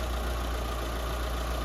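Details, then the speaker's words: Mitsubishi Lancer 4G15 after engine refresh, four new engine mounts: steady, even low hum with no knocks or misses, only slight vibration visible even on the high-tension wire; normal idle. "Walang ka-vibrate mga padi. Tingnan nyo. Ultimo yung high tension wire niya. Kakapirasong vibrate lang."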